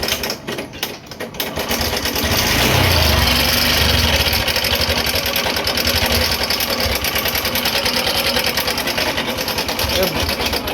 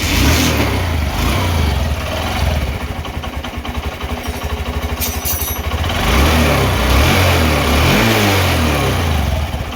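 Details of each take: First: Honda Shine BS6 single-cylinder motorcycle idling in neutral before repair: fast, uneven metallic clatter, about three ticks a second, caused by a loose timing chain and very loose rockers. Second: Honda Shine BS6 single-cylinder motorcycle after repair (timing chain replaced, tensioner working, rockers adjusted, cleaned): steady idle, blipped up and back down, smooth beat with no chain rattle or tapping; now sounds like factory new.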